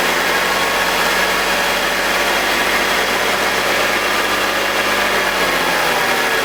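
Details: BMW E46 with M52TUB25 engine at idle, intake VANOS solenoid unplugged: steady even hiss, no scraping or grinding, no RPM drop. Owner suspects the VANOS causes a grinding noise, worse at startup, heard when connected. Normal idle without grinding.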